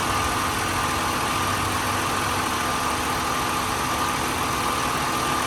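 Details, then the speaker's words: 2001 Nissan Maxima GLE, 132,000 miles, timing-chain engine, heard with hood open: smooth steady idle, even hum with faint constant whine on top, no knocks or misses; healthy. "You can tell, you know how it should sound, you know that this is absolutely right. Runs great, sounds great, it drives fantastic."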